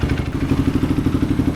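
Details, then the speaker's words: Desert racer ATV engine just installed, first running on a Dynotech CDI with stock maps after a bad switch block was swapped to restore spark; even, steady thumping idle about twelve beats a second, no knocks or misses; normal idle. "there we go running off a dynotech CDI I'm not too familiar with those right now but it's on stock Maps so super happy to get this thing running"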